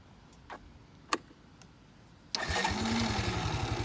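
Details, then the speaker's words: Kawasaki Bayou 220 ATV single-cylinder, started after clutch repair with a new cover gasket and cleaned oil filter screen between engine and transmission. A few clicks, instant fire, then quick even thumping idle; normal start. "Fire it up, go for a little quick ride. First gear, immediate engagement."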